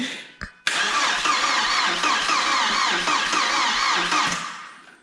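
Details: Audi A4 1.8T petrol barn find, 144,000 miles, with oil, on a jump pack, no fuel pump heard: steady, even starter churning, engine spinning over but never catching, then stops; crank no start, fuel supply suspected.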